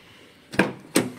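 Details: Nissan Qashqai rear door closing with two firm thuds and no rattle, after fixing the window mechanism rattle by refitting its three screws with threadlocker.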